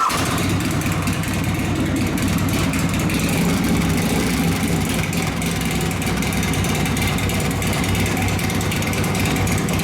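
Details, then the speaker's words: 1983 Harley FXRT 80ci Shovelhead after top-end rebuild: Evo-style cam, new tappets, pushrods, KB forged pistons, cylinders bored .010 over, machined heads: loud, lumpy V-twin idle, steady uneven beat, clean blips, no pinging or knocking; normal running. "That's the worst part, I gotta listen to it again. She's loud."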